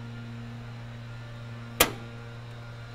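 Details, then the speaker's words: Briggs & Stratton home standby generator transfer test, 200 A main breaker switched off: steady mains hum then one sharp click as the automatic transfer switch engages and begins its timing sequence; normal. "okay okay I can hear the transfer switch clicking It's Beginning its timing sequence"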